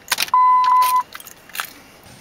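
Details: 2004 Dodge Ram 1500 4.7L V8 with an intermittent no-crank: keys jingle and a chime sounds for under a second, then silence with no starter click or cranking. The PCM was not communicating; the cause was a worn-through PCM B+ power wire.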